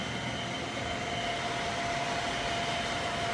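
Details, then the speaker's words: 2000 Fadal VMC 6030HT 5-axis mill, not remanufactured, jogging Z axis: steady even hum with only a faint high whistle, no knocks or grinding; axis travels smoothly and quietly. "Nice and smooth. You can't even hear that axis. Here's Y. Same thing. Super smooth."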